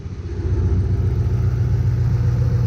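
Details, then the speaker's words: 2005 Ford Mustang GT Copart rebuild, hot mid-90s day, engine warming up, check engine light on: deep steady V8 idle with smooth low rumble, no knocks or misses. "engine sounds good but when he gets warmed up the fan doesn't come on that's where we're running into problems"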